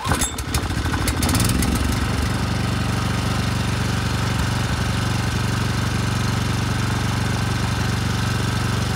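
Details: 10HP Briggs and Stratton generator engine, second rebuild after seized rod and out-of-spec crankshaft, compression about 60 psi: short pull, then single-cylinder catches and holds a steady, even thumping run with no knocks or misses; normal running.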